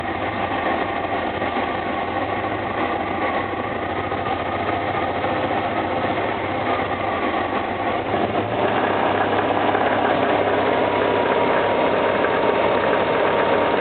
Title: Стук в двигателе